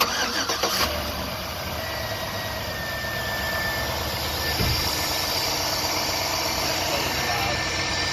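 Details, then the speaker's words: 2007-2014 Chevy 5.3L V8 after serpentine and accessory belt replacement: a short crank, then a smooth, even idle with only a faint belt hum. The earlier light whine/hiss that prompted the belt check seems reduced; normal start and idle. "Is that less whiny than I had? Okay, look at me. It was a little whiny is what made me check my belt. I think it's less whiny, it's just the sound of the engine."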